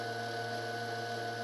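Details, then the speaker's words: DM36D dynamotor fed 24 V from a power supply, rated 220 V DC output but reading low and dropping unexpectedly; steady electrical hum with fixed whine, no speed change or roughness; cause of low output unclear. "you can hear that thing running that motor running in the background though"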